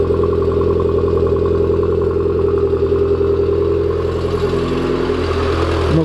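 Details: Turbo 1.8 20v petrol engine with the exhaust refitted: steady idle with a light, fairly quick tick and slight speed wander, no knocks; the tick and fluctuations are considered normal and the engine sounds healthy.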